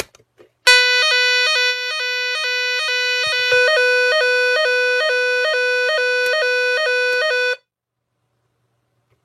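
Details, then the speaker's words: Nugelec Planete NUG31218 type 4 one-loop fire alarm panel, repaired, retest after rearming manual call point: loud pulsing two-tone siren cycling steadily for seven seconds; sounder working normally, though it doesn't sound the full 5 minutes. "Quand on réarme le déclencheur manuel, la centrale se réarme. Donc on refait le test."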